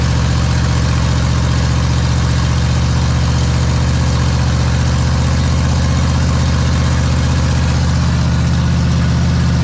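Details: Big block Ford 460 in a 1956 F-100, during cam break-in; deep, even rumble holding steady throughout, no knocks or misses; normal idle.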